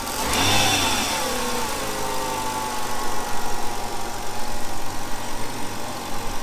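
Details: 2005 Hyundai Sonata V6 just after new coil packs were installed, replacing old ones suspected of leaking electricity. Steady, even idle with a smooth low hum and light throttle blips; runs clean, no stumble or missing.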